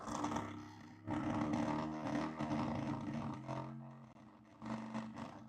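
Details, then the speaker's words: Stepper motor on a DIY 3D-printer filament re-spooler, turned counter/clockwise via controller, barely moving and struggling; rough uneven gritty buzzing hum surging and fading, owner suspects a wiring or continuity problem. "And then if I move that to counter or clockwise, it's barely moving, but it's struggling. And I'm assuming it's struggling because it's on no voltage. That sounds terrible."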